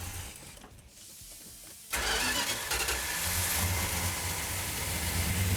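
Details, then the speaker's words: 1972 Plymouth Duster 340 V8, 4-speed, restored, start held on choke: engine catches at about two seconds and settles into a steady, even, rumbling run; sounds healthy, normal start and idle. "Look at that. Wow. You like that, Justin? Sounds healthy. What? Sounds healthy. What? Oh, it sounds good."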